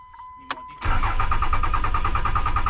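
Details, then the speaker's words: Truck that no longer starts, fuse under the hood suspected: a short chirp, then the starter spins the engine at a steady fast beat without catching; crank no start. "Truck doesn't want to crank up anymore."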